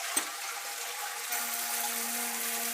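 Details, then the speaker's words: Old toilet cistern refilling after a flush: hissing water, then a loud steady droning hum while it fills. The noise travels through the pipes to the next room and can be heard from the street at night. Fill valve is the fault. "Yes, it's like the Titanic has arrived. It's like the Titanic has risen. Now that noise, yeah, in the middle of the night, you can hear it from outside of the street."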